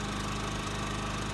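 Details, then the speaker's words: New Champion 3400 W dual fuel inverter generator, model 100263, heard from about 25 feet: low, steady, even drone, no misses or knocks; running smoothly and quietly. "we could have a real good conversation and you'd never even know it was money that I am very impressed very very impressed with us you know accepted"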